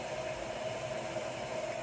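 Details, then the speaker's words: LG washer after replacing a bad drain pump that had caused an OE no-drain code, set to wash on hot: a steady, even motor hum under water noise, with no knocks, scraping or grinding; past load sensing and agitating normally. "It made it through the load sensing and is now in the wash cycle, so that's a good sign. Water's filling."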